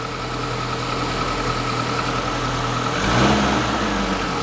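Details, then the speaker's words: Classic Mini campervan with automatic gearbox, refilled with 7 litres of oil, engine idling while first gear is selected, previously absent; brief soft clunk and rise as the gear takes up, first now works and the wheel spins, normal engagement. "Try all the way down in first. Because we had no first before. Yeah, that's working."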